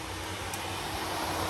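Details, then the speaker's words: Second cooling fan switched on manually while the first stops, on a 1G-FE VVT-i harness build for a Lexus IS200: soft steady rush of air, faint even hum, no rubbing or ticking; normal cooling fan operation. "and you can see that that one is now spinning and that one has come to a stop"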